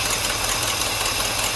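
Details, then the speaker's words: 1964 Cadillac V8, carbureted, after 17 years, warm idle after thermostat opened: quick even puffing tick over the rumble; exhaust leak chuffing at the manifold, leaky valve cover gasket also suspected. "the thermostat did open it's hot on the top there is pressure so that is good we have an exhaust leak over here"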